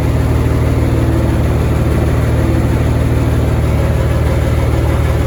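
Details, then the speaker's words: M35A2 truck with multi-fuel Continental diesel: steady, even idle with a low regular firing beat and no knocks or misses, an air leak from the compressor line hissing in the background; engine healthy. "so there we are multi fuel Continental engine crusty dirty well it runs sweet as a n"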